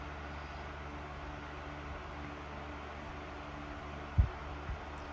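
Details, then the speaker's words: Sears Deluxe 3-speed 12-inch oscillating table fan 564.80171 on high speed: smooth even whir with low steady hum, no ticking, rubbing or wobble; runs perfectly, air velocity mid-1100s. "fan runs perfectly do velocity check so we're in the mid 1100s range high speed for the velocity"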